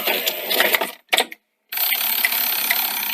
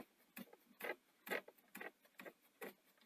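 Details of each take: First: Sony SL-C9 Betamax front-loading mechanism after repair: the machine wasn't loading and had nearly been written off. A short motor whirr, a pause, then a smooth run with soft clicks and a clean stop, so tape loading is now working normally. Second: Sony SL-C9 Betamax, front loading system down but not lacing after eject: light slightly uneven ticking clicks about twice a second as the loading motor drives; suspected broken plastic or popped-out gear breaking the link.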